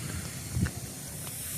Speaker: that's gas I don't know if you can hear that